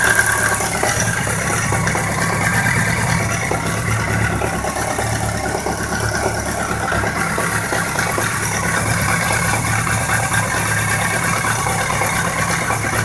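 Steady idle with a light, fast ticking and a dull knock riding underneath it; the source isn't clear from sound alone.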